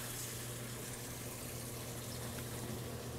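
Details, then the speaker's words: Frigidaire Gallery top-load washing machine in service test mode, cold water inlet test: soft, steady rush of water under a low hum with no chatter or buzzing; cold inlet valve filling normally. "all right so we do have some vibration so it does appears that we are getting cold water as well"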